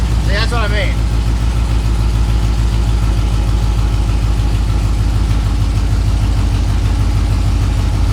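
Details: LS-swapped S10 with 6.0L V8 at idle, engine temp 118, after rust from the gas tank clogged the fuel system; cam position sensor low/high codes logged, spark erratic, bank two short-term fuel trim fluctuating. Uneven, stumbling beat with occasional dropped pulses; one cylinder running lean and misfiring.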